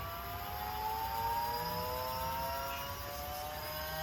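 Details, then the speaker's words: EcoBoost-swapped Fox-body Mustang, electric power steering pump switched on from dash button during test; steady electric whine climbing slowly in pitch as it winds up, smooth and even; normal pump run-up. "power steering pump in mounted and functioning i'll show you guys that click a fancy button yeah the dash and you can hear it it will slowly wind"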